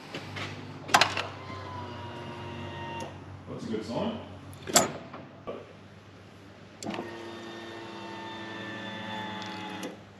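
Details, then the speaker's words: L98 LS-swapped Toyota Land Cruiser 80 Series at key-on: two short steady electric buzzes of the fuel pump priming, with fuel pressure reaching the regulator and no leaks; normal. "no legs underneath the car hear that pump loud and clear so so far so good"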